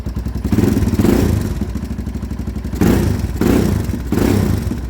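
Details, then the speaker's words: 2001 Honda 400EX, running again after an unexplained stall/lockup, choke turned down: strong, even single-cylinder thump at a steady beat with a few clean throttle blips, no knocks or clatter; normal running. "Sounds good too. Yeah, I don't know. That was a weird fluke thing."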